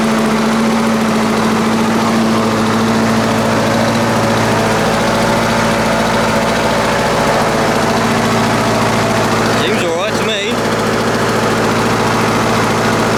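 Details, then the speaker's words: Lawn-Boy 4651 two-stroke mower: low, lazy, loose uneven beat, well below its 3,300 rpm, very smoky, possibly too much oil; carburetor cleaning planned. Slow running. "just sound like it's running a little bit slow as well he did say that he was running slow"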